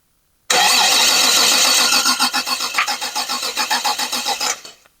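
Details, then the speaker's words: 1990 Toyota truck, cranking during compression test of the previously low cylinder after repair: steady starter whir with an even chuff about four times a second. Compression now 150, matching the other cylinders, healthy. "okay. So, as you can see, compression is obviously way better. It's at 150"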